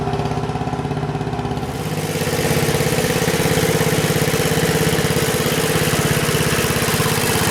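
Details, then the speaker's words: 1977 MTD 990 16 hp Dayton-badged tractor after ignition and starting-system repairs, on a test drive at low revs with the mower deck engaged cutting grass: even, regular firing beat at steady moderate speed, picking up slightly, smooth and healthy. "Well, that sounds pretty good. I don't have it revved up very high, but uh the deck engaged and try cut some grass."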